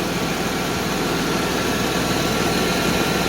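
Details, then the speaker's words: 1991 Mercedes 190E after hydraulic lifter replacement, warming idle: steady even smooth low rumble, absolutely no lifter ticking; owner hears slight possible exhaust manifold gasket leak noise, unconfirmed; normal idle. "there is absolutely no lifter noise I kind of hear a little bit of the gasket noise from the exhaust monif Falls I think I think that's what I hear"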